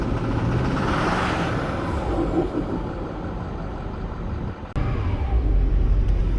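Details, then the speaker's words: 2008 Ford F-450 King Ranch 6.4L Power Stroke diesel, long parked, being driven out before engine removal: lumpy uneven idle with stumbling beat and occasional dips. "yeah as you guys can hear she's not the healthiest sounding but that's going to change soon enough"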